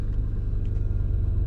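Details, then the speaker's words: Lexus LS430 air suspension compressor: a deep steady drone that vibrates and shakes the whole car while running, caused by collapsed compressor mount bushings; the bushings are to be replaced. "that is the sound with the compressor can't even hear it from inside the car vibrates and shakes everything so we're going to take a look at those bushings and replace them cuz you shouldn't feel the whole car vibrating when that compressor kicks"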